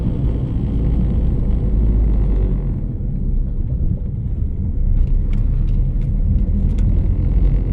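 Steady low hum under the road rumble, with faint high cricket-like chirps coming in later; the source can't be pinned down.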